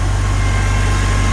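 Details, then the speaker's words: 1955 Farmall Cub with a cleaned fuel tank, inline filter, clean bowl and rebuilt carburetor. Steady, even low putter at idle with regular firing and no misses or knocks, running clean. Normal idle. "it's all cheap you can see it's just running clean as a whistle"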